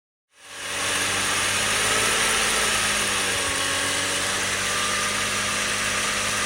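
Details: BMW 330i at steady idle: constant high hiss and faint fixed-pitch tones over an even low hum, clearly audible in the cabin but almost gone when standing in front of the car; abnormal engine noise of unknown origin.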